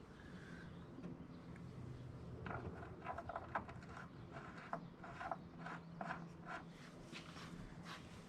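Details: Honda HRX217 lawn mower with wheel locking up when pushed, stripped drive shaft groove repaired with a new clip: irregular dry clicks and ratchety ticks as the wheel is turned by hand; transmission still catching inside, cause suspected, not confirmed.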